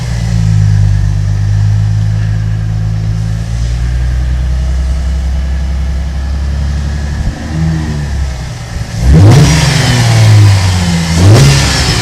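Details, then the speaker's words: 2007 Holden VE Commodore Ute, 3.6L petrol LV2975 engine, just over 100,000 km: deep steady idle climbing cleanly on each rev and dropping back evenly, no knocks or misses; healthy engine. "I'll just start it up for you. This is a beautiful engine."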